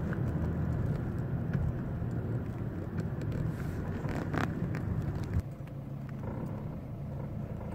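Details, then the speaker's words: 2006 Mercedes C200 CDI diesel, front left, in fourth gear lugging just above 1000 rpm uphill: deep droning rumble and vibration; loose stabilizer bar bushing bracket with a missing engine screw and stripped thread, noise gone after repair. "On entend que ça fait un barouf, c'est chiant. On l'entend bien à gauche. Je suis en train de me demander si c'est pas une biellette ou une biellette stabilisatrice."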